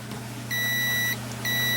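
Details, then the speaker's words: Yamaha CA-610 II integrated amplifier that won't power on, removed rectifier diode tested with meter: two solid high continuity beeps over background sump pump hum; dead shorted rectifier diode. "if you can hear that over our sump pump running in the background, that one's a dead short."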